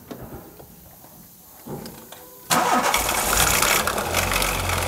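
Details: 1996 VW Golf 3 1.6 petrol (55 kW, 99,000 km) starts and runs with a harsh whirring rattle; water pump is seizing and leaking water, timing belt badly worn and near failure, car should not be driven further.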